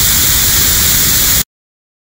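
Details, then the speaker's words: 5L40E transmission shift solenoid on air tester at 65 psi after screwing end plug in to set depth; steady even hiss cutting off cleanly; slight air leak at correct setting, further would stop coil operation. "That's with the air. You can hear it just slightly leaking. Now, if we go any more than that, it probably it'll go too far, and then the solenoid won't be working from the coil."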